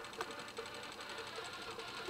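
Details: Sony MiniDisc player/recorder making strange noises: faint, uneven mechanical whirring and light chatter from the small disc mechanism; drive misbehaving, cause unclear.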